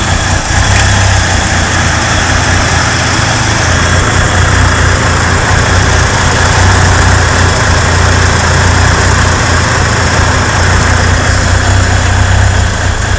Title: Rough idle 2